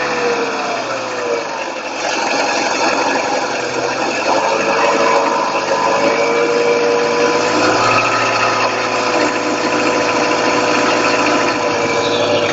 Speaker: сейчас начинает подстукивать потихоньку пока. О. Очень четко слышно.